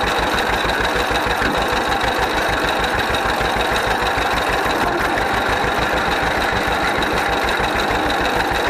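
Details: 1931 John Deere GP two-cylinder tractor, first run after carburetor repair. Slow, steady putt-putt at about three beats a second, even and unfaltering; idles as it should, smokes a little.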